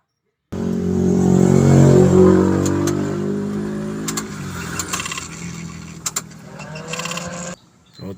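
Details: Suzuki DA63T with K6A engine that would not start, after a blown ignition fuse was found and ignition contacts cleaned: cranks, catches and settles to a steady, even idle with no misses or knocks, now running normally.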